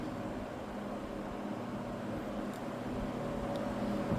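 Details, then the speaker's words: Old, probably 1960s, Happy Home box fan, likely window-type, on high during an initial run: smooth, even whoosh with no rattle, tick or wobble; runs like new, though the blade later hit the cabinet again. "This thing runs like brand new."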